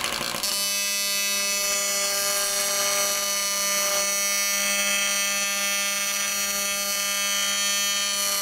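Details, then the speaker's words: AC TIG welding at about 250 A and 200 Hz on a 280 machine: loud, harsh, steady buzz near 200 cycles with a hissy edge, holding constant. Normal AC TIG arc buzz. "why is it so loud cuz I'm running uh I'm running at uh at 200z wow yeah"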